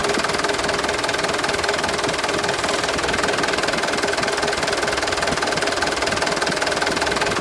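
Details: 2013 HD 125 PS used truck diesel engine idling: steady, even clatter about 150 beats a minute, no misses or odd knocks; complete and dry ("perpak garing"), crisp and healthy; normal idle.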